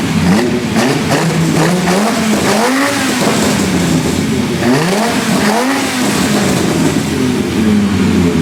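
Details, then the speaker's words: V10-swapped BMW E46 M3 after fixing exhaust manifold leaks at the heads and checking sparks: revs climb and fall cleanly with a strong, mostly even note and only a faint remaining miss. "Yeah, I think that is 9.5 cylinders, shall we call it? Nah, that's loads. It sounds correct."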